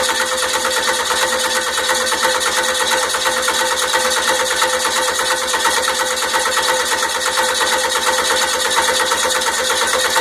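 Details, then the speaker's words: Freshly rebuilt 12-valve 5.9 Cummins diesel, first start attempt: steady starter churn pulsing about three times a second with no catch or firing; cranks but won't start, timing suspected though repeatedly checked, valves to be inspected next. "well it's not going to start so it's not going to start I have something something's wrong are you sure about your timing"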